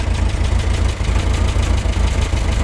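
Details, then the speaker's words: Talbot Express van on first proper test drive after new engine mounts and valves; deep steady idle with rhythmic puffing chuff on each firing pulse; exhaust blow, owner suspects it comes from a pipe joint. "but it was a good trip apart from that exhaust blow which does sound pretty bad [Music] i think it's coming from that joint there i think"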